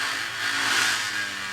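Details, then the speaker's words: Panasonic DVD-RP56 spindle motor disconnected from circuit and driven from bench supply at 4 V; rough gritty hiss with faint hum; worn spindle motor bearings, motor shot. "it's 4 volts we'll Crank It Up oh listen to the bearings they're not in good"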